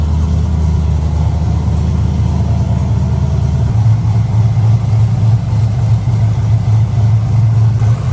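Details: LS V8-swapped Nissan S14 240SX, newly fitted exhaust with silencer: deep, steady idle burble, even low rumble, no knocks or misses. Normal idle.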